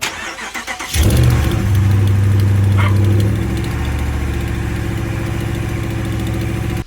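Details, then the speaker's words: Dodge Ram 5.7L HEMI V8 starting and idling with fast, light ticking over the engine note; exhaust leak at passenger-side manifold, manifold studs known to break. "va s'y atteler c'est quoi c'est le collecteur d'échappement on a la culasse le collecteur d'échappement c'est la partie la première partie de l'échappement"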